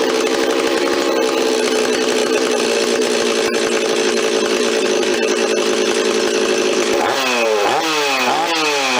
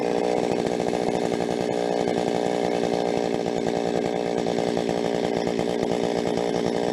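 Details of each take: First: Rebuilt Stihl 026 two-stroke chainsaw, parts saw restored with aftermarket parts, first run on fresh high-octane fuel, no bar or chain fitted: steady high buzz, then revs rise and fall repeatedly during mixture tuning, answering throttle cleanly; normal running. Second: Rebuilt Stihl 026 two-stroke chainsaw, cutting: full-throttle scream with brief pops and stumbles breaking the buzz at the top end under load; mixture tweaks didn't help, owner suspects spark plug too hot.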